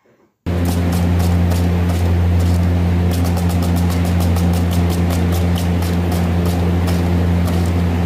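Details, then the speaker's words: Condor air conditioner fan: steady low hum with rapid papery flapping, about three slaps a second, worse at high fan speed, from adhesive tape stuck to and striking the blades. "يعني خصوصا اذا كانت السرعه السريعه في المروحه يعني يصدر صوت فرفره وصوت شريط لاصق اي شيء يلامس المروحه سوف يصدر صوت"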